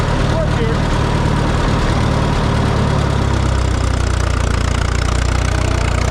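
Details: Minneapolis Moline GTB tractor: loud uneven chugging idle that sags and drops in pitch around halfway as it dies; owner first thought a fuel issue, later found the temporary ignition coil had come unplugged; cause suspected, not confirmed.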